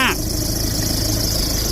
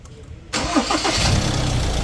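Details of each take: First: Ford Ranger over 100,000 km at idle: rough busy idle with steady hiss and rumble from the front belt area, worn alternator pulley bearing and flapping belt; fixed by replacing alternator bearing, belt tensioner pulley and front belt. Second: Ford Ranger MC over 100,000 km, after replacing the alternator pulley bearing, belt tensioner pulley and front belt, with the AC on: short crank, then an even idle with no squeal, chirp or rattle. The engine starts and runs normally.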